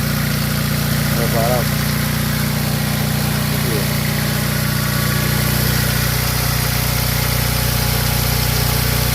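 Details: Mitsubishi Lancer Ralliart after a no-start repair involving an overheating 20 A fuse and worn contacts: steady, even idle with a smooth low drone and no misses or knocks. Normal idle.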